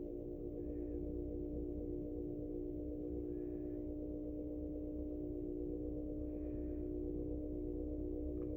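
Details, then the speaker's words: Vintage 1947 GE 12-inch Vortalex fan, model FM12V1, on low speed (82 volts); smooth, even low hum holding one steady pitch with no rubbing or clicking. Healthy motor; oscillator doesn't work. "Start it up on medium. Super nice runner."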